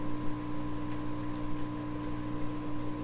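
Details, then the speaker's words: 1928 RCA Victor Model 28V radio, DC supply heard through a signal tracer after rewiring: only a faint, steady low hum with no crackle or buzz; the supply is clean and quiet, normal. "Wow, that certainly is quiet. Let's try the other one here. Nothing going on there at all."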